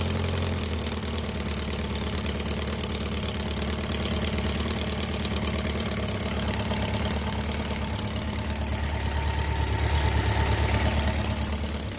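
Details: 1999 Kawasaki Concours ZG1000, 54k miles, valves found with no clearance. Even idle with a sharp, regular top-end clacking about three per second, which a dealer had called rod knock. Cause: worn cam follower, cylinder three intake grooved a quarter inch; louder with the valve cover on.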